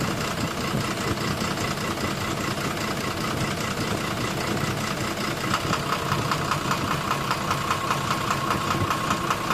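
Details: Engine code 12-M FE at idle: rough idle with a dull, uneven knock of about two to three per second under the engine noise; engine knocking, cause undiagnosed.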